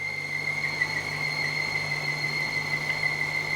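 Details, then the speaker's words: BMW 550i with N62 V8 and a known coolant leak: steady high-pitched squeal over a quiet idle; owner suspects a vacuum-related leaking seal, unconfirmed. "so this could easily be vacuum related it could just be one of the seals that's interfering with the vacuum and causing that that squeaking noise"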